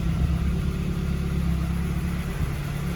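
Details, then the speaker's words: 1990 Volkswagen Scirocco GTII on a very cold day (about 1°C), choke fully off: deep, slow, slightly uneven idle, too low and needing adjustment. "um i think it's idling a bit low that's with the choke all the way off it's idling pretty low um i probably need to adjust that but it sounds lovely"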